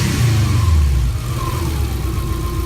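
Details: Subaru EJ20-engined VW Kombi, rear engine, recorded near the fuel pump: starts first time, revs fall away after a second and it settles into a steady, quieter low rumble at idle; idling normally.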